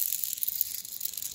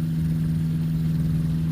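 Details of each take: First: Bearing from the B gearbox (2.58:1) of a 65 hp Rotax 582 on a 1987 Spectrum Beaver RX 550 ultralight, spun by hand: faint uneven dry rattle with sharp clicks, lots of play; it caused a funny engine noise. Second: 1987 Spectrum Beaver RX 550 ultralight, 65HP Rotax 582 Mod90 two-stroke, B gearbox 2.58:1, 3-blade prop; steady even idle drone, no rattle or grinding, after earlier noise traced to a bad gearbox bearing.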